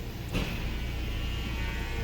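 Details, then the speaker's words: 2014 Nissan Altima, believed 2.5 L, after the stuck exhaust cam was commanded via scan tool above 2,000 rpm and moved: a brief clunk, then a low, even idle hum with no stumble. Smooth normal idle; steam suggests a possible coolant leak. "This thing's running smooth, guys. I don't know if we've got ourselves a coolant leak or what. You can see the steam rolling up there, but this thing is purring like a kitten."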